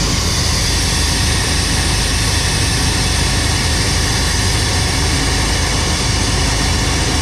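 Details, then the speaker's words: 1990 Chevrolet K2500 V8 that had random misfires: deep steady idle, only slight unevenness, no misfire stumble; running better, normal idle. "he's going to go and start up let's see if it runs any better better better already"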